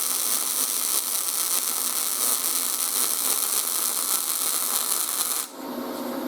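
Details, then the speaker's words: YesWelder 250 MIG Pro welding steel at inductance -10, expected to give a narrow, tall bead suited to thin sheet metal: steady, fine frying crackle with no pops or sputtering, then it cuts off; stable arc. "so we'll do negative 10. this should make a real proud tall bead but this would be real good for thin sheet metal"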